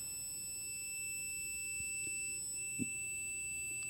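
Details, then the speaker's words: Multimeter continuity test on wiring (around 14-gauge wires) inside an old Davemade straight 16-pill amplifier under repair: steady high beep showing a closed connection. "We're going to connect the other to here. See how we're getting a connection?"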